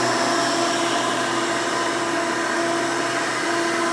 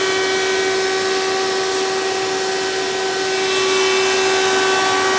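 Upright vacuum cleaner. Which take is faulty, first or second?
second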